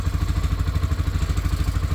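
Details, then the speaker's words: Massimo T-Boss 550 side-by-side UTV after adding foam to stop bed rattles: engine idles with a loose tinny rattle underneath, apparently the muffler heat shield vibrating. Cause suspected, not confirmed. "this is already a huge win it sounds like something under here's rattling"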